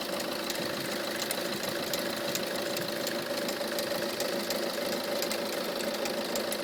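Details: Peugeot 307 HDi 2.0L 90hp XS Premium diesel at idle: light fast ticking knock about three per second over the clatter, seemingly from the front accessory drive; owner suspects alternator, its pulley or the tensioner/idler roller, unconfirmed.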